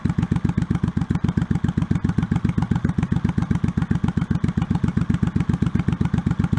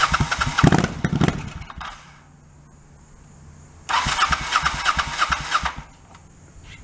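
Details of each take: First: 1984 Honda Shadow VT700C, unrun over 7 years, rebuilt carburetors and starter, fuel hose clamps replaced, started with starter fluid: even, lumpy V-twin beat about four pulses a second, steady with no knocks or misses; healthy idle, tachometer not working. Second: 1984 Honda Shadow VT700C, unrun for over 7 years, rebuilt starter and carburetors, second start attempt with starter fluid in carbs and main tank off: starter churns in two ~2-second bursts, engine never catches; crank no-start, loose clamps leaking fuel.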